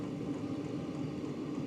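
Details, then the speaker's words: 2024 WIPPRO 8 kW diesel heater starting on the high setting, in stage three, with the glow plug drawing about 94 W during stage one. Steady, even roar and low hum as the burner lights and fans spin up; a normal startup. "all right the diesel heater is in stage three starting to heat up you can really hear it"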